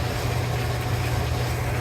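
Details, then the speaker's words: Clothes dryer after a squeal repair, possibly fixed by big stainless flat washers on the rear roller: low, steady drum hum with no squeal or scraping; normal running. "Hey, sounds pretty good. Sounds pretty good. How are those wheels going in the back there? All right. Everything's looking good. Everything's nice and quiet."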